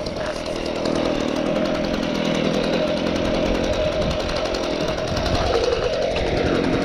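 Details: Stihl BG55 handheld leaf blower two-stroke after aftermarket carburetor replacement and idle screw adjustment: steady, even buzz with clean fan whoosh, no surging or dropouts; normal running.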